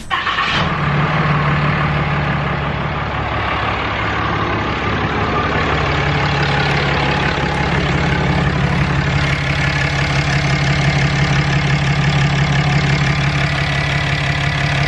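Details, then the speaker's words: 2016 Ram 3500 Cummins diesel at idle just after installing an S&B cold air intake and aFe intercooler pipes: steady low diesel clatter, sounds about the same as before, no codes; normal diesel idle. "sounds about the same at idle see if we got a code no"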